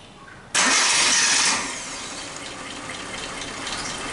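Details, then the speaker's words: Suzuki Katana AC compressor (Denso 447200), leaking oil, resealed months earlier, cooling weak: engine cranks and runs with coarse, hissy rasp on top; compressor worn and noisy, to be replaced with Denso 447220. "nanti suaranya juga sudah kasar ini kompresornya sudah ngorok itu suaranya ini teman-teman banyak suaranya sudah berisik"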